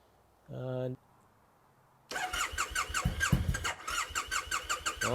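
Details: Triumph T100, stored in the garage most of the year, at about 10°; brief beep then a long uneven starter churn with rising and falling pulses that never catch, a slow reluctant hard start.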